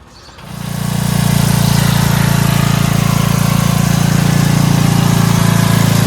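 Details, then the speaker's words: Free Dayton 11HP Hauler lawn tractor at lowest idle after adjusting the fuel mixture screw on the carburetor bowl bottom (had been out too much, causing stalling/no-start): catches and settles into smooth, even low idle thump; running healthy. "You saw on the lowest idle, right? By the way, the problem was the fuel mixture screw on the bottom of the bowl."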